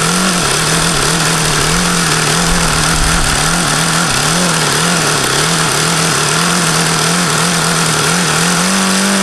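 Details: HP VT 21 rotary-valve four-stroke engine: high-pitched buzzing idle wavering up and down, never settling; owner says everything indicates a rich low-end mixture, despite leaning the low-speed needle.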